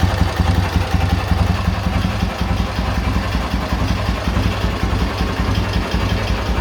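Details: K-750 motorcycle boxer twin after replacing the timing gears (four crankshaft gears), ignition fed direct to the coil: low, even, steady idle thump with no knock on top. The previous idle knock is gone; the gearbox is possibly worn but shifts.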